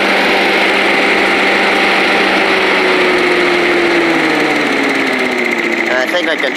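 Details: Old Rover Turbothrust mower made in Brisbane, Australia, buzzing high and steady at full throttle, pitch easing then falling as it is shut off with the throttle; runs clean, normal running.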